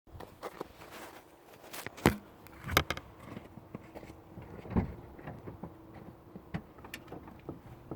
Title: Mazda 6 gg непонятный стук в подвеске.